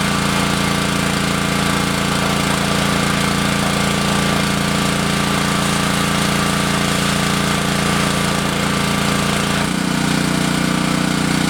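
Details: Repaired Honda GC190 pressure washer, after carburetor cleaning and an oil change, under pump load. Loud, steady, even single-cylinder beat with no hunting or misses, tone shifting near the end; running normally.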